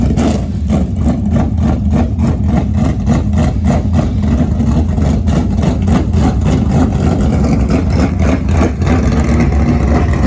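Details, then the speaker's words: 1967 Chevy Nova barn-find project, believed to be a 604 V8, test drive after restoration: deep, steady V8 burble rising cleanly with each throttle blip and settling evenly; healthy. Transmission lacks second gear and reverse, linkage to check. "Thing sounds good. It should be a little 604."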